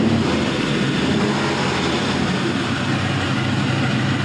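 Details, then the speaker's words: GM 5.3L LM7 Gen 3 V8 with 180,000 miles on a test run, as close to a cold start as possible at 104°F ambient; about 42 psi oil pressure on a mechanical gauge. Steady, even rumble with no knocks or ticks: normal idle. "Starts up like a dream."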